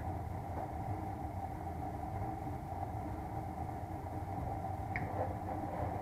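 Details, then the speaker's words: Bryant 394GAW048125 gas furnace with no maintenance and lint buildup, also found with a cracked heat exchanger: a steady, loud droning hum with a whirring tone, from a worn, failing blower motor. "yeah that noise you hear bad-boy remoter"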